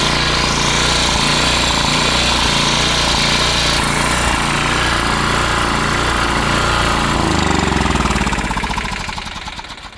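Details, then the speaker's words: Coleman Powermate PM 1500 generator, small single-cylinder, after repair and priming with starting fluid, half tank of fuel: buzzes fast and even at steady speed, then spins down smoothly; normal running. "it runs great now so yeah I guess I can try and plug something into it here in a second and see if it produces power"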